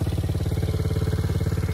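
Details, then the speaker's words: Coolster quad with a 110 or 90 cc engine, revived with a junk-drawer carburetor and rusted rear brake; quick even idle thump with a light loose clatter on it; something at the rear is rattling loose, source not found. "something's definitely loose back here i heard something rattle that's not good"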